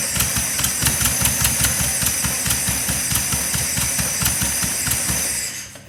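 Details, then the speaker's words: 1976 Porsche 914 VW Type 4 2.0 fuel-injected engine on test stand after 30 years in a barn: uneven, lumpy firing with irregular hissy bursts over rattly air-cooled idle before dying; owner suspects big vacuum leak, fuel leak seen. "definitely sounds like a big vacuum leak and i'm seeing another fuel leak already"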